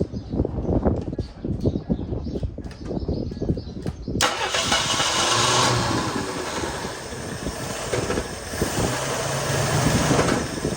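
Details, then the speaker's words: 1975 mail Jeep, long-sitting, started on gasoline: rough cranking start settles to a loud idle with irregular deep knocking underneath; owner suspects torque converter or a broken flywheel, not confirmed. "I don't know what that noise is. It doesn't sound [Music] good."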